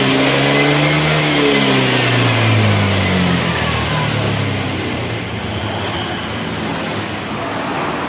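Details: Honda Vario 110 carburetor scooter during the charging check with the headlight switched on: the small single revs up and eases back toward idle, smooth and even with no misfire; charging would not reach 14 V, and the battery is suspected.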